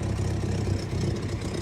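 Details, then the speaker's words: Vehicle towing a teardrop trailer on the Denali Highway: loud, raw, low idle with a blatty puffing edge instead of a muffled hum; owner believes the gasket where the exhaust pipe meets the manifold has blown. "i believe i have blown out the gasket for the manifold not one of the manifold the exhaust pipe where it connects to the manifold very loud"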